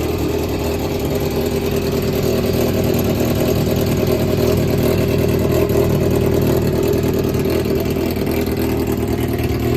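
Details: Yamaha XJR400 (4HM): smooth, even four-cylinder beat that picks up cleanly and settles back, with no knocks or ticks; the engine runs normally with no abnormal noise or white smoke.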